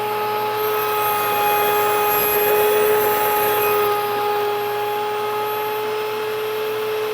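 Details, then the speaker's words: Nutrimill grain mill grinding wheat. The pitch rises to a steady, even high whine once all the grain has gone through, showing the grind is finished; it is run 5–10 seconds empty to self-clean. "now towards the end when you're grinding your wheat you're going to hear it take on a different pitch when all the grain has gone through"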